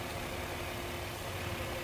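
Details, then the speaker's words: 2012 Nissan Murano with a blown head gasket, idling a few minutes after a K-Seal treatment and coolant top-up: soft, steady low hum with no ticking, knocking or misfire; engine sounds quiet and settled. "I'm letting it run it's going probably in 2 minutes and the bottles for 3 to 5 minutes uh uh we going to see what happens so the engine sounds quiet okay"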